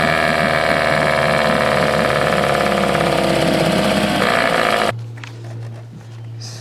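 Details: 1979 Johnson 6hp outboard with low compression: ragged two-stroke putter at about four beats a second, uneven and hunting, then it cuts out; owner suspects fuel starvation. Cause is unconfirmed.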